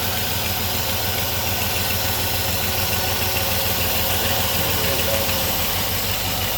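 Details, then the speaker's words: 4.7L V8 at idle after cylinder head replacement: steady idle with a constant airy hiss, now quieter than before, no vacuum leak code; vacuum leak suspected but source not found. "it sounds like a hissing from in here somewhere. Well, it's not throwing a code for any vacuum loop. Something's hissing."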